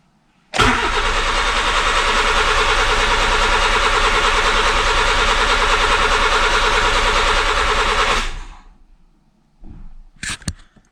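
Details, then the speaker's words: Honda Civic coupe project during an automatic-to-manual swap: the starter cranks steadily at about three beats a second for seven seconds and never catches. Crank, no start; it later ran, somewhat rough. "so we do have crank but no start trying to figure out why"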